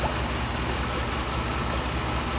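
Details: 2007 Dodge Ram 5.7 HEMI V8 idling while warming up after a water pump replacement; coolant temperature is rising with no leaks while air is bled out. Smooth, even low rumble with no ticking, squeal or grinding. Normal idle.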